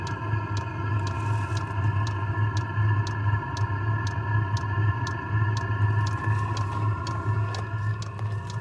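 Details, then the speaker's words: Chinese clone of an Eberspacher diesel heater on its fastest run mode, full burn: sharp fuel-pump ticks about twice a second over a steady jet-like roaring hum, no exhaust smoke; burning fully and running normally. "It sounds like a jet engine its going into full burn sequence!"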